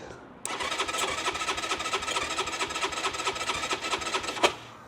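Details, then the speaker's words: Keeway RKR 125 motorcycle with 6,430 miles, push-button start, bought sight unseen: starter whirrs steadily for about four seconds with no firing; fuel pump and relays heard working, cranks but won't start. "okay um yeah that doesn't want to start sounds like it wants start but this isn't looking good"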